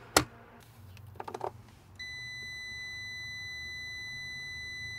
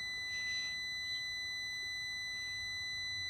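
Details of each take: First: 2002 Mini Cooper S R53 replacement cooling fan resistor tested with a meter (the old one's thermal fuse blew from the seized fan): after probe handling, a clean steady beep shows continuity at about one ohm. The resistor is good. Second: 2002 Mini Cooper S R53 cooling fan resistor pack: a steady high multimeter continuity beep once the thermal fuse is bypassed, showing an open fuse, blown after the seized fan bearing made the resistor overheat.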